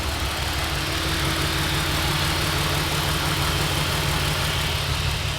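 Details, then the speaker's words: Supercharged Mercedes SLK320 petrol engine at idle after hard pulls, rough uneven stumbling beat; scanner shows cylinder 5 misfire codes. "yeah it sounds misfiring so we got four codes"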